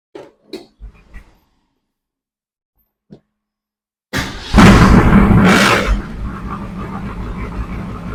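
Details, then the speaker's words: 1967 Shelby GT500 Mustang (real or clone) at its first start for diagnosis of lost power; afterwards something poured out of the exhaust: V8 fires with uneven, lumpy pulses and a ragged exhaust; rough running from valves out of adjustment. "if it does you'll be able to see how badly it runs and I'm just going to listen around for any noises ticks anything along those lines that start this diagnostic process"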